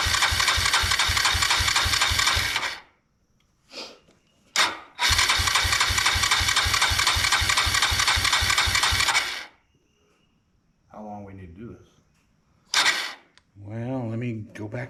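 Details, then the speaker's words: 1999 Suzuki DR200 motorcycle, revived after sitting close to a decade, on reserve fuel with fuel flowing: long starter bursts at about four compression beats per second, no firing or catching. Cranks but won't start; carbs and starting fluid next. "Uh, yeah, fuel's flowing. It is. Okay, keep going. Just Just keep cranking."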